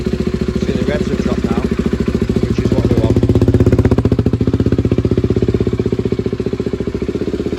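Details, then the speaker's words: SWM RS125R after top-end rebuild with valves and timing reset, coolant pipes not yet connected, brief run: crisp rapid two-stroke popping holds a steady even idle; timing right, runs healthy. "Happy days. Sounds like it's running sweet. So, I must have got that timing right now."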